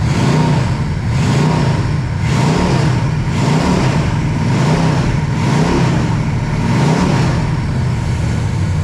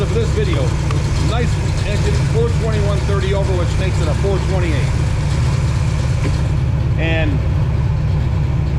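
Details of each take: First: Pontiac 421 .030 over, '69 big-valve heads, 180°, revved to 2700–2800 rpm with oil pressure near 60 psi; blips climb unevenly and sound strained because the carburetor is not tuned for this engine. Lean running from untuned carburetor. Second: Pontiac 421 .030 over with '69 big-valve heads and degreed cam, warm after revs to 2700–2800 rpm: deep, steady idle with a slight even lope, no knocks or misses. Normal idle.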